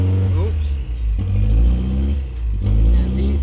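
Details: Toyota MR2 engine at idle, revs rising and falling on their own about every 1.5 seconds with no throttle input; idle surge from a misadjusted throttle position sensor, fixed by re-centering its adjustment screw.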